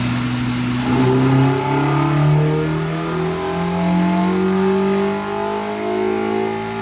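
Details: K-swapped Miata full-throttle dyno pull after moving VTC to a different ECU output: note climbs steadily without stumbling or misfire; VTC working, clean strong pull.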